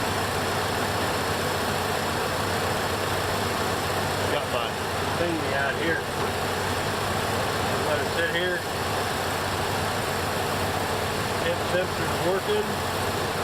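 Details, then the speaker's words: 1968 Buick Electra 225 with newly installed ACES Killshot 2 EFI, fuel pressure 60 psi, warming up to about 203°F: steady, even idle with no misses, knocks or hunting, settling smoothly; normal idle. "Sit there and let it run. At least this one's quiet. My neighbors won't be pissed. Hear that? It's smoothing. Doing its thing."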